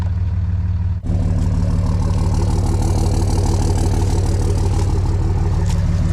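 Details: Dodge Ram 2500 with 5.9 Cummins diesel, after fuel pump repair with a FASS fuel pump system, restarted after a short break: settles into an even idle of about three pulses per second, steady and regular with no knocks; normal idle.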